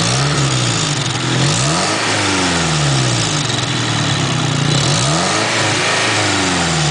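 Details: SR20DET turbo petrol engine at start-up revving with a loud raspy hiss from an exhaust leak at the Blacktop downpipe.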